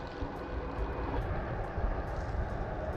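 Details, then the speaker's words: RadRunner Plus e-bike riding on replacement tires: soft even rolling hum with low road rumble, no whine or buzz; much quieter than the stock Kenda 3.3-inch tires. "These tires are way quiet, is that a word? Way quieter. Very much more quiet than the stock Rad Kenda 3.3-inch tires."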